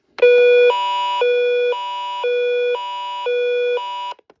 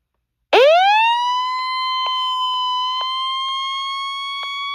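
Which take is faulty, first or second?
first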